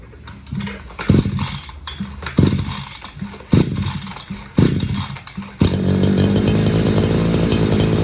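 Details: New two-stroke petrol Go-ped style scooter, first start after priming fuel bulb and with choke on; four rope pulls about once a second, then it fires and settles into a steady even buzz with no misses.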